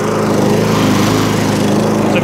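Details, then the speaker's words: MTD push mower, after the too-thick packed foam air filter was thinned out. Its steady, even buzz has no hunting or surging; it idles down smoothly and is healthy. "so it was a proper air filter in there idle's down lovely there was a new air filter in there"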